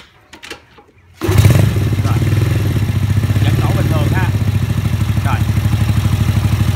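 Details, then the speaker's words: Vietnamese-built mini Ducati L-twin motorcycle with upper cylinder ignition disabled, running on lower cylinder only: slow, lumpy thumping about three beats per second; harder to start, prone to flooding if run long. "Đây là tiếng một máy nè. Rồi không nổ quá lâu nó dễ lúp bê lắm, tại vì một máy nó gánh một máy."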